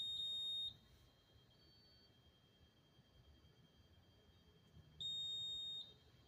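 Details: Honeywell Notifier fire alarm panel at a New Jersey rail station: high, sharp electronic beep under a second long, repeating every few seconds in a quiet room; trouble alert, cause unknown.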